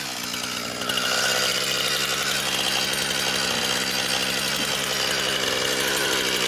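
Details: Brand-new Husqvarna 460 Rancher chainsaw, first run, cutting wood. Strong, steady high-revving snarl as the chain bites through the log, holding speed evenly under load. Healthy saw cutting cleanly.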